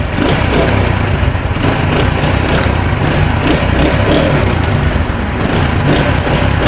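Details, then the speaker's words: CD70 motorcycle after repair for clutch-press engine noise: small single-cylinder bike ticks over at a steady, even beat with no knocking, rattle or clutch grinding; normal idle. "हमारी बाइक बिल्कुल फिट हो चुकी है।"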